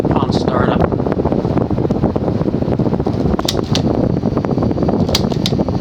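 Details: Late-1920s/early-1930s Diehl 52-inch oil-bath antique ceiling fan with a 3-speed pull chain, on high: steady low whir with light irregular ticking and slight cyclic flux buzz from a worn motor shaft. Something is brushing; it runs normally.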